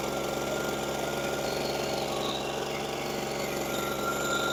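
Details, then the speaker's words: Echo PB413H two-stroke backpack blower that wouldn't start, just started on a new aftermarket Chinese carburetor, choke on, about half throttle; steady high-rev buzz with a slightly rough, uneven edge; running before the mixture screws are set. "All right, she's running. I'm going to get a flat screwdriver so I can do the adjustment, because you usually have to adjust these."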